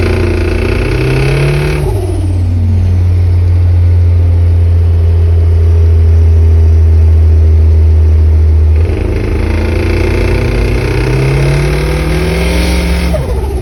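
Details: Mitsubishi 4G54 petrol engine revved up and falling back twice, with a deep knock under the rising note: rod knock from a spun No. 3 big end bearing.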